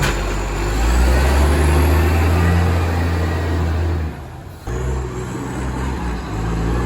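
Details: Moreland garbage truck #FN11487, a spare 22m flat-faced Acco-cab diesel with a massive exhaust leak, recorded from the exhaust side: deep, loud rumble with a raw, throaty roar that briefly eases off.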